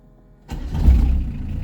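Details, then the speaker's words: PSA XUD diesel converted to an in-line 4M injection pump, still on the original Daewoo Lublin pump settings with a 0.44 Bosch lift pump and a 141-tooth ITHDI belt. It starts on the first turn and settles at once into a low steady rumble. A normal quick start. Owner suspects the alternator is failing. "C'est au quart de tour. Hein. Alors je vais voir en batterie parce que mon alternateur il doit commencer à être malade."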